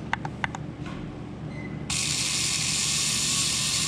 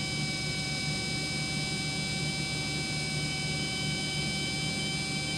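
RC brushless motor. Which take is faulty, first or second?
first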